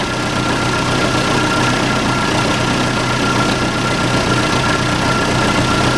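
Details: Case 580C backhoe diesel, sat 10 years, started on ether with no coolant: loud, even diesel clatter at constant speed with a faint steady whine above, no misses or surging; healthy normal idle.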